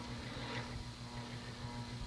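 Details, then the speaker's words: 1983 Hunter/R&M Original Reverse-aire 38-inch ceiling fan, model 22290, 2-speed oil-bath shaded-pole motor, starting on low: low steady hum with a pulsing throb, cyclic flux buzz; owner suspects shaft/bearing wear from running without oil, misaligning rotor in stator. "now that it's the cyclic buzz of doom basically that's that's the sound of magnetic flux and the motors"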